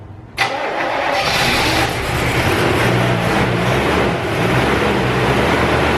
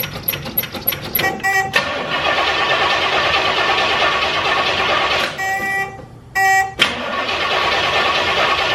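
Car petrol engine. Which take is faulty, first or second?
first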